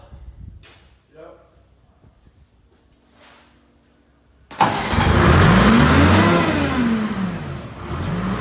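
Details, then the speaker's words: Detroit 3-53 two-stroke three-cylinder diesel in a padfoot roller, started after years sitting out in the weather: fires right up and runs strong, rising and falling a little with throttle, no knocks or misses. "sounds good I haven't figured out throttle yet so I'm still"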